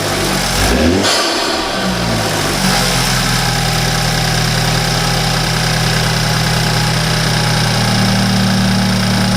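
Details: 2013 BMW 328i F30 N20 after installing an Injen intake: starts, blips up, drops to smooth steady idle with no hiss, stumble or knock; normal start and idle.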